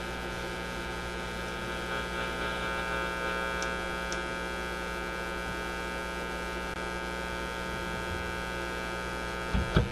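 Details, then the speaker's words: Motorola MK-56R AA5 five-tube radio: steady low hum with overtones, constant under everything; mains hum, alongside an intermittent fault near the radio front end sensitive to board pressure. "we can get rid of that hum"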